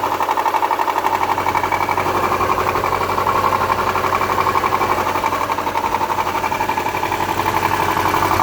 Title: 02 Subaru Legacy engine -- rod knock or piston snap? Help!